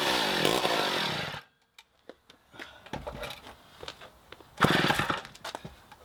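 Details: 1960s Homelite C-51/XL-12 two-stroke chainsaw bursts into a loud rasp, dies with weak sputters, then catches again: rough running and stalling as the carb keeps flooding (cause unknown); low-speed screw turned in to lean it.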